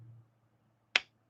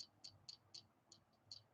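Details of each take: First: Stiff G10-handled slip joint pocket knife with a half stop, pull around 7: one crisp, sharp snap as the blade closes in a quiet room; normal slip joint snap shut. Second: Boker Plus Baby X pocket knife, clip held still: sharp, high, tinny clicks about four times a second with each shake; something loose rattling inside the knife body, not the clip.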